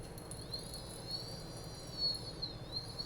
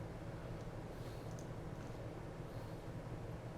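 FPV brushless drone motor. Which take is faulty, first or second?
first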